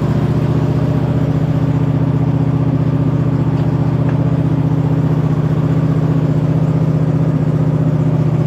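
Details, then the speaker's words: 2007 White Outdoors (MTD) CT 54 zero-turn mower, Briggs engine, sat 3-4 years, started on jumper pack and choke, moving under hydrostatic drive: steady low drone with even pulse, no whine or grinding from the hydros; normal drive. "we are moving I don't hear anything in the hydros yet as far as any kind of abnormal noises"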